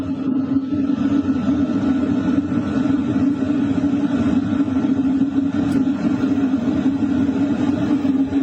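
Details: LF Bros diesel heater set to 4 kW, recorded near the air duct with exhaust pipe outside: steady even whoosh of duct air with low exhaust hum, no knocks or surges; normal running.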